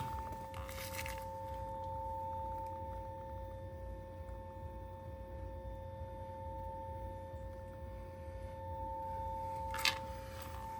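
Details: Lotus Eletre R electric car parked with pedals partially open gives a steady two-note electrical buzzing hum, no engine running; stopped only by unlocking, driving a few feet and turning off.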